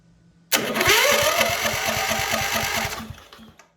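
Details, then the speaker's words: MTD White yard tractor, 13.5 HP Briggs & Stratton industrial engine, sitting for years: starter whines up then cranks the engine with an even chug about three times a second for three seconds; starter engaging normally. "it so it is engaging it's doing what I need it to do that's exciting"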